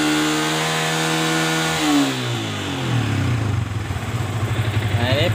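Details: Yamaha Vixion motorcycle (stalling, MIL code 46, battery drained) during charging test: battery 13.12 V at rest, about 14.12 V with throttle; revs fall smoothly from held throttle to steady even idle, no misfire or rattle, charging normal.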